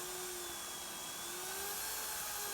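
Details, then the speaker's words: Parkside (Lidl) PTBMOD 710 A1 710 W pillar drill on its lowest speed: the high motor whir revs high then settles, and under load it slows sharply before surging back with torque; owner wondered if it is defective. "And it has an unnerving habit of when you introduce it to some resistance, it will quite rapidly slow the drill as if it's struggling, but then it kicks in with more torque."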